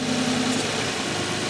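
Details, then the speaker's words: Older vacuum-type EGR valve tested by applying hand vacuum at idle: the rpm drops and the idle turns uneven with a faint stumbling miss, running very poorly; this is the rough idle expected with the EGR valve open. "away you can hear the RPMs decrease is starting to almost sounds like it's it's missing a little bit and there you go the cars just running very very poorly now"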